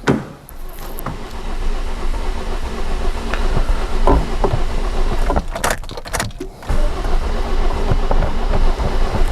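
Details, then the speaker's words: 2007 Toyota Corolla four-cylinder petrol engine with a very rough idle, hard to start after first attempt: low throb stumbling unevenly, feels almost like a misfire but not quite. "yeah guys as you could see uh probably you could hear on the camera that it is definitely rough idle the car is running at the moment i can feel there's kind of like a misfire not really a misfire but very rough idle"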